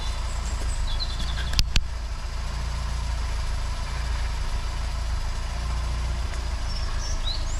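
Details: Austin Allegro 1300 Super with a manual fuel pump, started cold after months laid up in the garage and jump-started on a weak battery. An even low rumble at steady idle with no misses, ticks or knocks, just a couple of stray clicks. Healthy cold idle.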